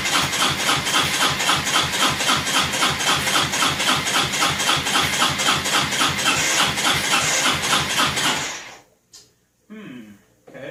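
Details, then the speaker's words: 2002 Honda Reflex scooter cranked by jumping the starter solenoid wires: fast, even starter churn about four beats a second for eight seconds, never catches; crank no start, fuel, spark or both missing, not yet determined. "so we got to figure out what we don't have fuel or spark or both or something but"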